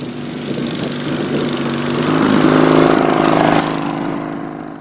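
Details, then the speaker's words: Racing Panzer small engine after carburetor cleaning and fuel pump install: runs fairly steadily, speed rising then easing back, no misfire or stumble; now running good. "but this is good now that we got this thing running good"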